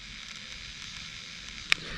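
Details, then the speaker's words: 2005 American Eagle RV house battery that had been smoking, recorded up close in cool weather near 50 degrees: steady fizzing hiss, faint crackles and one sharp pop, still sizzling and warm; overcharged battery boiling. "but it's still sizzling i mean that's kind of scary still warm too"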